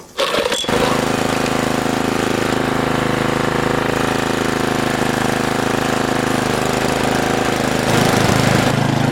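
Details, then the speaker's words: Old garden tiller, owned over 15 years, that had apparently died, started with the throttle cable bypassed and throttle pushed by hand: uneven, lumpy chug about three beats a second, speed wavering then picking up. Rough running; owner smells a mouse nest near the muffler. "it's running pretty rough smells like there's a mouse nest break the muffler area but she started she's going to be fine"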